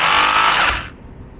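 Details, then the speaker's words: Cordless rotary hammer, partly reassembled with brushes fitted, test run: high buzzing whine with a rough rattle near the trigger button, then spins down; hammer action works. Misalignment inside is suspected, not confirmed. "Потому что где-то что-то, как вот звук такой. Где-то в районе кнопки. Ну, а так работает вроде бы."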